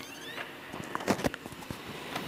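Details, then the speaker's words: PS5 disc drive that still would not read discs after two laser replacements: the disc is pulled in with clicks and brief squeaks but never spins up. It read discs when the drive PCB was pressed; suspected faulty motor controller IC, joints reflowed. "the usual noises. But never actually spins up the disc and reads it. However, I put my finger here on the PCB of the drive, and all of a sudden, not only did it read FIFA 22, but it also read Black Ops. So I would suspect that the motor controller has gone faulty in it."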